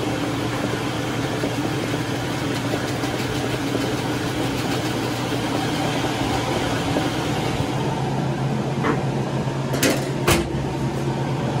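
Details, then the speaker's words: Maytag top-load washer after disassembly, cleaning out with compressor and shop vac, and reassembly: runs with steady low hum and soft whoosh, squeal gone. "And there's no squeal in this guy anymore, so I'm excited to get it inside and give it a test."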